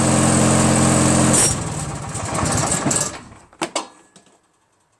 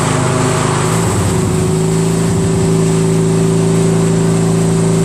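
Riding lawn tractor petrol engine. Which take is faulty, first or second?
first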